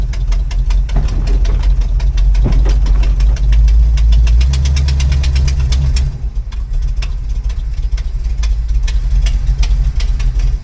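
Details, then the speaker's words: 1988 Chevrolet Monte Carlo SS T-top, first drive under load: heavy uneven lumpy beat, two to three pulses a second, dropping away after six seconds, engine struggling and smoking; rough running, cause not confirmed. "man sound like you're going to die it's smoking"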